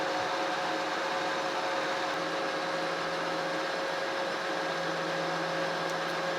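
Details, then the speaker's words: Monarch 16" Model K lathe turning long planer drive shaft, 0.025" depth cut: steady cutting then a low hum appears as workpiece picks up harmonics; steady rest too far away, deeper cuts avoided. "to hear a little bit of a hum in it some of y'all can hear that but that's telling me is picking up a little bit of harmonics in there"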